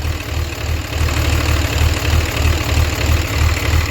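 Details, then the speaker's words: Diesel hotshot truck with MAP sensor codes, smoke and transmission fluid leak; deep steady idle, about three beats a second, no puffing or irregular knocks. A blow-by check shows the motor is healthy. "Okay cool so motor is healthy"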